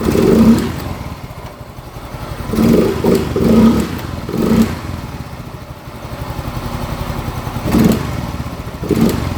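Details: Yamaha Mio M3 125 scooter, after TPS adjustment, throttle setting returned to normal and valves adjusted: starts on the electric starter and ticks over steadily, then picks up cleanly on short blips with no stumble. Revs drop back promptly; running healthy.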